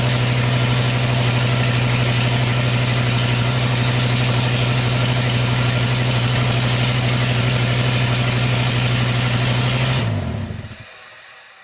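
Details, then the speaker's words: Volvo S60 Turbo after installing two new OEM exhaust valves on cylinder 1 (previously bad misfire and long crank time): fired right up, steady even idle for about ten seconds with no stumble, then switched off; runs smooth. "I'll fired right up"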